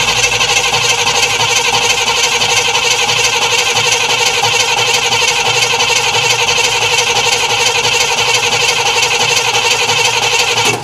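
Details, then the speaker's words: Cadillac Eldorado, cold: starter cranks steadily for eleven seconds without catching; owner says it has been cranking and cranking and believes it is flooded. "I've been cranking this thing. Listen to this. Cranking and cranking and cranking, so it's flooded."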